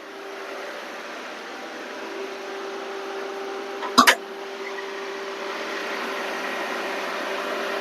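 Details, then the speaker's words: Maruti Eeco, AC compressor clutch not engaging: front condenser cooling fan whirs evenly with steady hum, no rattle; fan working normally, AC relay fault. "Cooling fan sound உங்களுக்கு கேட்கும். [இசை] cooling fan ஓடுது பாத்தீங்களா பாஸ்ட்டா"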